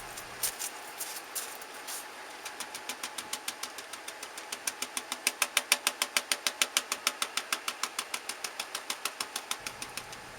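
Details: Ford E250 van Triton V8 idling, recorded at the exhaust before repair: sharp regular popping about three a second with engine vibration from a failed ignition coil misfire; replacing the coil pack made it smooth.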